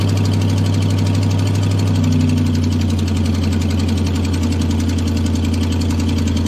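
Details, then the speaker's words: Chevy 5.3L LS V8 truck: rapid, puffy ticking at idle from an exhaust manifold leak next to the head, common with broken manifold bolts, often mistaken for lifter tick; it gets quieter as RPM rises. "so notice how that exhaust leak actually sounded like exhaust once you started listening to it and also notice that as we raise the RPM it kind of got a little quieter as that exhaust was able to fly by that leaking spot there next to the Head"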